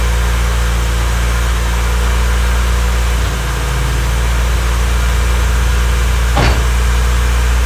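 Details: Honda Civic freshly rebuilt D16Y8 engine, first start-up, idling before any revs: steady low, even drone with a faint light tick on top, nothing knocking underneath; sounds smooth and healthy. Normal idle.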